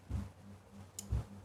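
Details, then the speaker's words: Coffee vending machine, DC solenoid replaced by AC solenoid via relay on 24 V SMPS: two crisp clicks about a second apart as AC supply is applied; relay circuit switching correctly. "ये देखिए ये cut के आवाज आ रही है। इसका मतलब है कि आपका जो रिले है रिले जो सर्किट है पूरा सही तरह से काम कर रहा है।"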